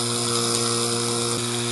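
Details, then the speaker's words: Whirlpool rotary vane compressor reassembled on bench: loud mains hum with rough buzzing edge; motor bearing completely worn, motor stalls when head bolts are tightened and has previously overheated and locked up. "got somewhat back together it is worn the bearing is completely shot on the motor the when I go to tighten these down the motor just stalls out and walks up"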